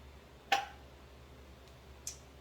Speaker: But as you can hear, these are already starting to ping, which is, of course, anybody who cans, that's one of their favorite sounds to hear.